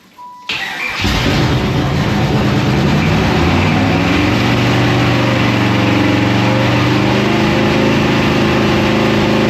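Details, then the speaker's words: GM LT1 V8 refired the day after seizing from running without oil: catches after a short crank, runs loud, harsh and uneven with hard irregular clatter, flames seen; seized engine with broken pistons. "It's the next day and we just seized up last night. Got my other son, Zach, with me. We're going to see if it'll refire."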